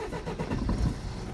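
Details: Mercedes Sprinter diesel van with no-start/cutting out, fixed by reseating a kicked-loose injector wiring plug: short crank, then catches and settles into steady low idle with no misfire.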